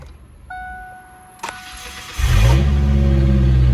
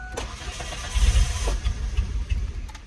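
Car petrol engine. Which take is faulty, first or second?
second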